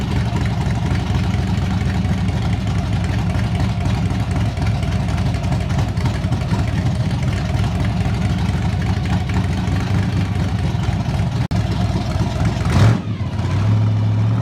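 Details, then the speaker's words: 1981 Chevrolet El Camino with a newly installed 283 V8 at its first start: an even, deep idle with no knocks or misses, then a brief blip. It sounds healthy but still needs tuning and break-in. "I told you guys and gals, this little 283 is a monster. You can hear the heart of this thing now."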